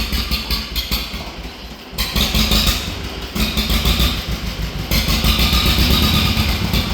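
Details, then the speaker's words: Old two-cylinder tractor parked for years, run with the choke off: engine surges and sags every second or two, loudness rising and falling unevenly; it won't run without choke, suspected dirty carburetor needing cleaning. "Carburetor might be a little dirty. [Music] Yeah, we got the choke on. It won't run without the choke on. So, carburetor's a little dirty."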